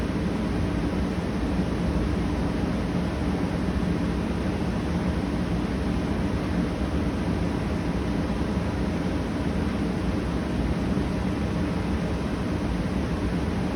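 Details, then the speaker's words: Arctic King 8,000 BTU/hr mobile air conditioner, compressor just kicked on, still warming up: steady, even low rumbling hum with no knocks, rattles or squeals. Compressor running smoothly and sounds healthy. "Gotta wait for it to warm up. It just kicked on. Compressor sounds good."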